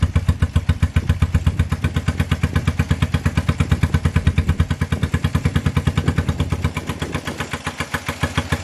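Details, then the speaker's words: 1978 Honda CB250 twin after valve clearance adjustment: slow lumpy chuffing about six beats a second, idle low and slightly uneven, sputters on throttle and won't rev. "so the bike now starts and it idles pretty good a little bit low but it's easy to adjust it responds good to the choke but it is not like to rev as you could hear in the video whenever I tried to give it a little bit of throttle it just sputtered and it wasn't"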